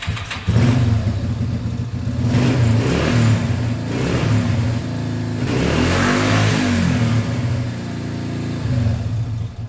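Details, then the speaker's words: Lean-running Yamaha 350 ATV single-cylinder engine revving unevenly with rough surges and pops on throttle; popping means lean mixture, not rich, and running better with choke on confirms lean. "The other half will tell you popping means rich, getting too much fuel. I can tell you in every case I've come across, the answer is lean."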